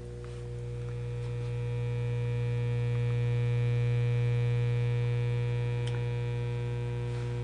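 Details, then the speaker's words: Monarch shortwave radio switched on: loud steady low hum that stays the same when volume is turned up, no program underneath; mains hum from failed filter capacitors in the power supply. "not super bad but it's still very annoying but notice when I turn up the volume the noise remains about the same"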